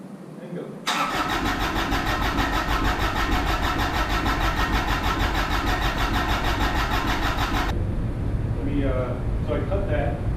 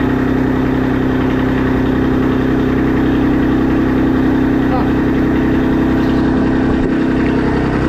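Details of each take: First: Kubota RTV1100 with D1105 diesel, first start after rework, air in injectors: long, steady starter grind for about seven seconds before the diesel catches and chugs; extended cranking while air purges from the injection system. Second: Kubota RTV1100 D1105 diesel engine, reinstalled and running after long cranking to prime injectors: steady even clatter holding one speed, no misses or knocks; normal running.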